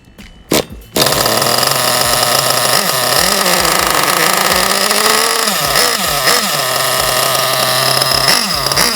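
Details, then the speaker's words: Basher SaberTooth 1/8 nitro truggy engine on its first break-in tank, kept running with throttle or throttle trim: a high, wavering buzz that sags and surges with gurgly, uneven pops; running very rich, as expected during break-in. "And then since it's running so rich, you can also keep a little throttle in there or adjust your throttle trim to keep it running since it's so gurgly rich."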